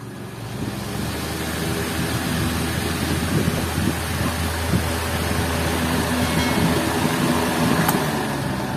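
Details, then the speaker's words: Orbit ceiling fan that previously hummed, spun and then stopped, after repair: even rushing whoosh over a low steady hum with no rattles, hesitation or stopping; the fan now spins smoothly and strongly. "bale Okay na siya maganda na yung ikot malakas"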